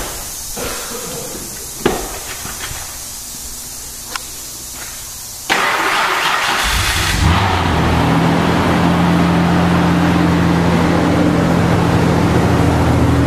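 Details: Mazda/Ford Ranger project truck just after fitting a new street-legal exhaust (one hanger so far, power steering pump swapped): a few clicks, then it fires and settles into a steady, deep, even idle. Normal exhaust note.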